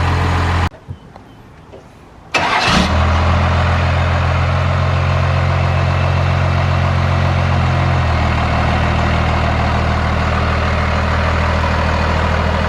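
Starter cranks briefly, engine catches quickly and settles into a steady, even diesel idle with a smooth low clatter; healthy.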